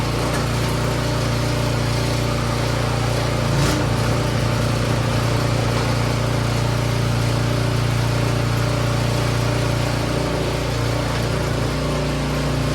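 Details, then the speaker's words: Troy-Bilt 24-inch snowblower after a tune-up with carburetor clean and timing correct: steady even low hum, smooth regular beat, no misses or knocks; good low and high idle. "sounds good Run's good and purs like a kitten good low idle good high idle"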